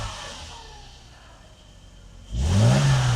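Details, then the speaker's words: Mercedes W126 300SEL, about 130,000 km, cold start at 40°C after fuel distributor rebuild and two new injectors, idle about 800 rpm: clean rev rising and settling smoothly, no knocks; healthy engine with good compression. "引擎运转非常顺畅，而且我们看到这边有个真空表这个真空表有点学问。"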